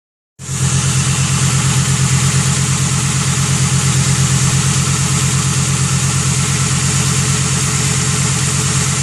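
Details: Ford Thunderbird 4.6 V8 after sitting outside for five years; steady, even low thrum with no misses or knocks, a smooth idle holding its rhythm, running healthy.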